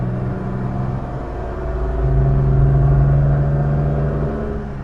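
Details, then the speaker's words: 1967 Jaguar Mark 2 3.4 automatic, after repair of backfiring under acceleration: deep, even drone swells smoothly as revs climb to 3,000 rpm up a steep hill, with no stutter, miss or popping; clean pull, engine pulling normally under load. "Yeah, once again, clean pull to 3,000 RPMs."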